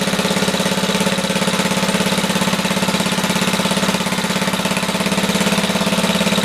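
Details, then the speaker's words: Briggs & Stratton 5 HP on Black & Decker generator, choke off, no load, targeting 61 Hz: steady, even single-cylinder putter with a slightly lazy beat; running a tad slow, speed adjustment needed. "Let's try this again. Choke off. It's a tad slow."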